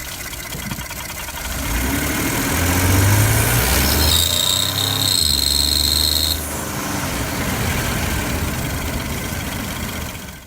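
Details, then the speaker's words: 2011–2016 Ford F-150 3.5L EcoBoost under heavy acceleration, phone taped under the hood: a shrill screech over the engine roar. A broken rear exhaust manifold stud lets exhaust back pressure escape through the gasket. "now this is the cause of this noise you can see that this exhaust stud on the rear of the exhaust manifold is broken"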